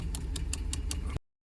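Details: 2009 Ram 1500 with 5.7 L Hemi V8 idling: deep rumble with a light sharp tick about five times a second; owner unsure of the cause.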